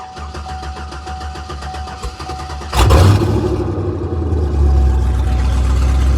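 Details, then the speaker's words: Cold start of a Chevy Colorado ZR2 with an L92 LS V8 swap on a Holley Terminator Max, straight-piped, with a second inline fuel pump added for pressure: a steady high pump-priming whine for about three seconds, then a loud, even idle; normal start. "And it's still straight piped right now, but just gonna do a nice little cold start for you guys. And oh, let's unlock this. And here we go. Fuel pumps, as you can hear them."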